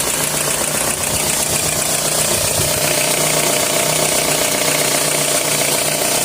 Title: @ 2003 Toyota RAV4 hissing and rattling noise